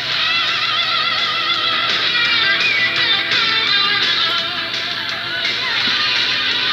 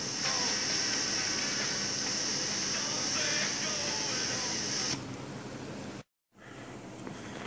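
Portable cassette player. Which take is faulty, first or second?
second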